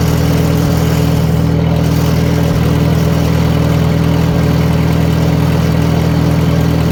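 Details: 1940 Farmall H with M&W 9-speed, idling medium-high while timing is set by turning the hard-to-turn distributor; even steady idle, no misses or spitting, running smoothly now timing is right. Carburetor may still need going through: normal idle.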